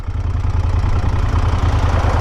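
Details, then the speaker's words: Moto Guzzi Stelvio twin, engine rebuilt after nearly seizing, tested after reassembly: smooth, evenly loping low idle with no ticking or knocking; the engine runs round and healthy, now firing on both cylinders where before it ran like a single. "Pero va de cine, tío. El motor está redondo. Eso se nota."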